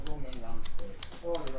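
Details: Outrigger position sensor switch, which gives permission to lift once the outrigger is more than half out, tested out of place after brake-cleaner washing, maybe water inside: sharp, dry clicks about four a second at an uneven pace; owner unsure it is right.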